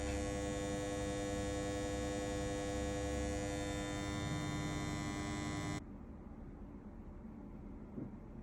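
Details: KDK M40KS ceiling fan: steady low hum and rumble while running, gone once switched off; rumbling noise, cause unclear.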